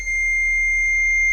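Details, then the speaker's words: CAT 982M loader at key-on: a steady, piercing warning tone with no cranking; the display shows starter disabled because the joystick is not in neutral. "and if you see right here says starter disabled place a neutral so I had to put the joystick down put it in neutral okay now she's happy"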